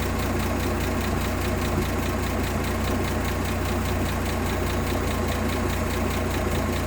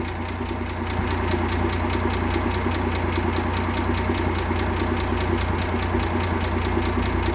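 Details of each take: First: 1958 AMC Rambler Super with Weber carb, idle screw turned down from about 1,800 rpm: low, lumpy idle with uneven pulse and hunting beat, bouncing more the lower it is set; unsteady idle from idle speed set too low. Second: 1958 AMC Rambler Super with the Weber carb refitted and a new distributor cap replacing a faulty original: the misfire is gone, and it holds an even, steady idle with no stumbles.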